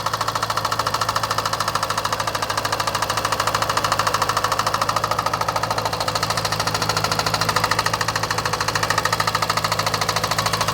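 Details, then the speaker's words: 2018 Jaguar F-Type SVR 5.0 supercharged, flood-damaged Cat N non-runner at idle: steady, loud, regular knock about 160 a minute; passenger-side bank, maybe one or two cylinders; owner guesses slightly bent conrod causing piston slap against cylinder wall. "um it's definitely the passenger side Bank maybe one or two cylinders I think obviously if the Conrad's very slightly bent then it's just going to be the vibration of the conrod b"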